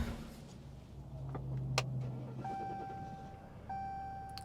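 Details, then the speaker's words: 2014 Ram 1500 EcoDiesel with extended-crank complaint, restarted after sitting following a drive: short crank catches almost at once, settling into steady diesel idle with dash chimes; normal quick start. "hey that is awesome it fired right back up it's what I want to see"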